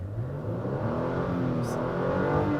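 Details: 2016 Toyota Tacoma 4x4 TRD Sport, revved in neutral (revs limited in park): smooth engine note climbing steadily in pitch with no miss or knock; normal free rev.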